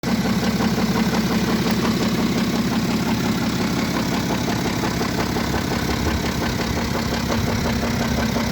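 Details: BMW F07 535d GT xDrive diesel with engine damage: idle with rough regular rattle about three per second over the running; internal mechanical engine problem suspected, not confirmed; engine rattle.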